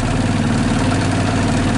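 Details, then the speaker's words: 2014 Linhai Big Horn 400 UTV 28 after starter and cooling-fan wiring repairs: steady low idle throb with soft whirr of the cooling fan running, even and unbroken; normal idle, battery charging. "anyway I just hit the starter button now the fan is running"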